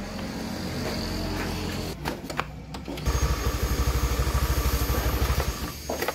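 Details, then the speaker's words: Honda Beat F1 after an overhaul with new rings and lapped valves (liner normal, no oversize) for lost compression and stalling: it catches and settles into a smooth, even putter about three beats a second, idled 5-10 minutes to warm up. "mesin sudah hidup bunyinya halus juga untuk sementara kita Raihan Duduk dulu sekitar 5-10 menit dulu biar hidup"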